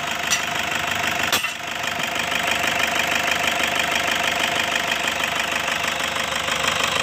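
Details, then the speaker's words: Toyota Fortuner diesel with weak pull and black smoke, dirty exhaust, before throttle body and injector cleaning: steady even idle, light regular clatter about three beats a second, no knocks or misses; engine sound judged very smooth. "Oke ini untuk mesinnya ya untuk suara mesinnya menurut papi nih sangat halus"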